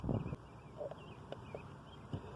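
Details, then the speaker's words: Ford 4/5-pin automotive relay bench test, 12 V applied across pins 85 and 86 through a 3 A circuit breaker: short, crisp single clicks as the coil energizes, a normal working relay. "I'm on pins 85 and 86. And see, going from pins 85 to 86, you can hear it click."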